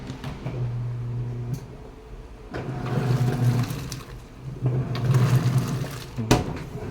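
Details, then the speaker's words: Whirlpool top-load automatic washer after controller board replacement for no power: motor hums in bursts a couple of seconds long with pauses, agitator swinging evenly; normal wash agitation. "So okay na yung wash niya. Nagwa-wash na siya. Paw-wash po yan."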